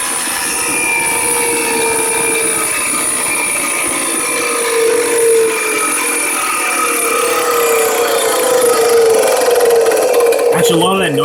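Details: Aircraft starter motor running on the bench after rebuild/refresh, with corrosion inside the motor: steady high whine with a rough scratchy rattle underneath; sounds like worn or dry internals, gear may need grease. Cause suspected, not confirmed.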